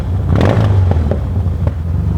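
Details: 1977 Yamaha XS650D twin on a light-throttle ride around town: lumpy exhaust note with sharp popping. Cause unconfirmed; owner plans to check the air cleaners and repack the mufflers.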